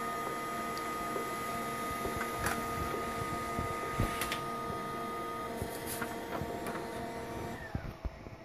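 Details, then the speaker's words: HP LaserJet 1200 reassembled (sides off, front cover switch pushed in) after lubricating the squealing laser scanner motor; steady high motor whine with light mechanical ticks, spins down cleanly; normal printer operation. "one working printer"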